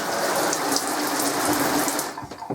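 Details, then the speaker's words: 2007 Luna Ultima 524 four-berth caravan: water runs freely from the circular stand-up shower's hot tap with a steady hiss, no sputtering, hammering or squeal; shower head and taps work fine, normal water flow. "The shower head works fine, as do the taps, so I'll turn it on to hot. Water running"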